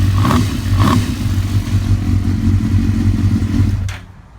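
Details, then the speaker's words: 2006 Suzuki GSX-R 1000 after installing a PSR manual cam chain adjuster to cure a bad cam chain rattle and ticking on throttle: engine blips up cleanly with an even exhaust note, no ticking or rattle; normal revving. "so I'm going to start it up so you can hear it now there's no more rattle no more noises it sounds like a smooth running bike"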